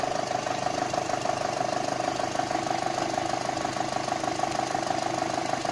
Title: Golf 5 Gti tfsi strange noise at idle